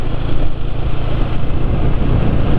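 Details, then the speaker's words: Motorcycle engine running Eni i-Base oil, treated with additive and cooking oil, front end now quieter: even, steady low hum with no knocks or ticks, faint soft cylinder-piston rustle underneath; smoother than other motorcycles. "ini suaranya lebih halus dari motor lain ya"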